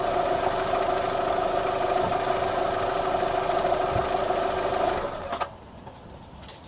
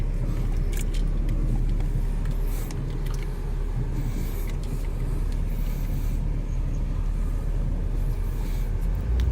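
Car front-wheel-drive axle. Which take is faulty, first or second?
first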